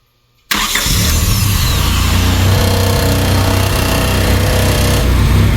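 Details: 1999 Honda Civic EK hatchback revived after sitting for years, running on a turbo-tune ECU; cranks briefly, catches at once, settles into smooth, quiet, even idle with no knocks or misses.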